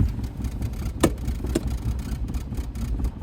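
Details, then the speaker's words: 1982 Saab 900 Turbo barn find, after sitting: very low lumpy idle around 500 RPM with uneven thumps and sharp pops, barely holding on, running on one cylinder; owner wonders whether injector lines need bleeding. "all right well it does something it Idols like at 500 RPM but it sounds like it's running on so it's able to hold idle now but we'll probably die as soon as I throw it in gear"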